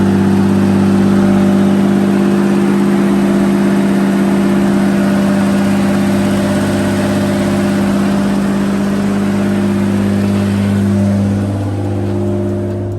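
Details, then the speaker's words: Nissan R32 freshly rebuilt motor, after teardown to chase a ticking noise: even idle hum holds steady with no ticking or knocking; ticking gone, normal idle. "all right guys as you just saw the car is running we have the ticking noise totally gone"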